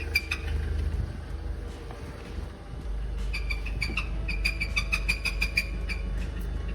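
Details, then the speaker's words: Engine running after being driven hard: a fast run of high, squeaky chirps over the engine rumble; the cause is suspected to be a broken pulley or a spun engine bearing, unconfirmed. "I honestly can't tell if this is a broken pulley or the engine has spun a bearing whatever it is that noise is terrible"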